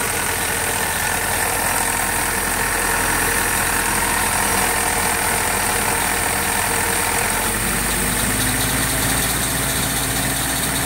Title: Cj2a engine knock?